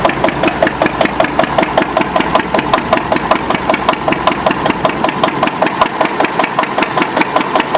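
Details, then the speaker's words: Antique Witte 12 hp diesel genset, 8 kW generator, after cold start: even slow chuffing about 100 beats a minute, no misses; normal governed operating speed. "That's operating speed right there."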